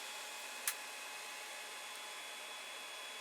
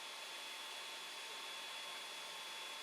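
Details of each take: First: Creality Ender 5 Plus printing with Meanwell RSP-500-24 PSU after swapping its noisy fan for an 80mm x 10 fan: soft steady fan hiss, faint hum, no knocking; 27°C ambient. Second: Creality Ender 5 Plus 3D printer printing with silent TMC2208 board; steady airy rush with thin whistle from the 40mm part-cooling blower and hot end fans, owner considering replacing them.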